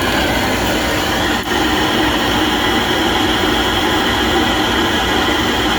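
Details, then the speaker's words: Pentair MasterTemp 400 pool heater that ran but would not ignite, after replacing the igniter: steady, even burner roar with no popping, surging or misfire, firing normally. "And there we go. It was the igniter. Well, I'm really pleased about that."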